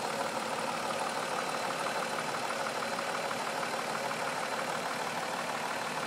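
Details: 2004 Mazda 6 3.0L V6 with 94K miles at idle; uneven rough idle with a dull regular low knock about three per second under the engine note, cause unknown.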